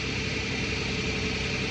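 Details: 2009 Toyota Tacoma 4.0 1GR-FE at idle: thin steady high squeal, intermittent for a year and worsening, mainly cold but also warm, gone with higher rpm; water pump, new alternator and power steering pump all resonate equally, source not pinpointed.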